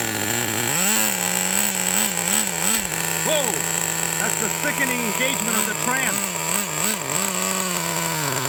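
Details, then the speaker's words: 1999 Traxxas T-Maxx Pro 15 nitro two-stroke engine that speeds up then shuts down: the buzz hunts up and down in pitch. Unburned fuel is leaking at the front crankshaft bearing of the crankcase, an air leak causing the surging. "that explains why it seems to speed up and then just shut down because we have ourselves a massive leak it looks like right over there from the crankshaft bearing"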